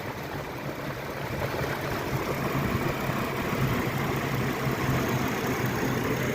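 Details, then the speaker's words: GMC Envoy 4.2, 233,000 miles, at idle after EVAP purge and O2 heater circuit fixes, run about half an hour with repeated restarts; steady, even, smooth low hum, no misses or ticks, no check engine light; normal idle. "I've been starting and shutting it off and restarting it and no check engine light and we'll go ahead and hook up the code reader here and see if we have anything pending or anything crazy that might happen but it's running really really good"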